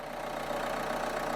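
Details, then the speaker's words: 2013 Renault Scenic III 1.5 dCi (K9K636) after removing ball bearings left in the fuel rail. It starts and settles into a steady diesel idle with its usual light clatter and no misses or hunting. "well there you go she lives again"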